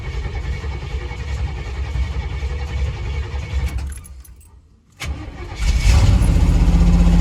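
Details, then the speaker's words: 2002 Chevy Silverado Vortec 5.3 V8 cold start after sitting for months, oil changed: steady cranking, a short pause, then it catches into a strong, even idle. Slight startup smoke, owner suspects valve guide seals. "There we go. Sounds pretty good. I get a little bit of smoke at startup, but I think that's that typical Chevy valve guide seals or whatever."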